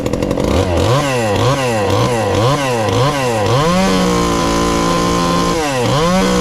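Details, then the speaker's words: Ported 2375 chainsaw with choke hooked up, still on pump gas before the alcohol goes in: blips up and down the rev range, then holds a steady fast idle with crisp response. Runs normally, slightly rich. "oh that's not too bad and she's still fat and happy there"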